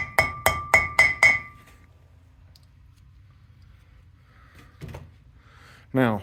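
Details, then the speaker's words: 1971–73 Mustang/Cougar wheel bearing seal driven in with a hammer: five quick taps, about four a second, each a bright metallic tink, meaning the seal is all the way down and good to go. "the seal should be all the way down. When you hear that tinking noise, it means it is good to go."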